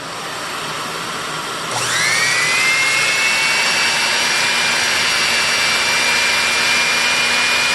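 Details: 40-year-old Electrolux PN4 power nozzle motor after re-greasing its bearings, first test run with the belt off; a smooth, steady whine climbs in pitch as it spins up, then holds even, with minimal brush sparking; normal motor run.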